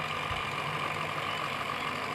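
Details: Table fan before repair, running with a steady motor whir and a faint scraping rustle: a rubbing (khat-khat) noise from a misaligned fan body, later fixed by loosening, realigning and retightening the body.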